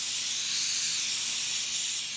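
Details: Rolair JC10 air compressor during repair. With the motor stopped, a steady, sharp hiss of escaping air continues without pause; the owner suspects compressed air is leaking at the compressor.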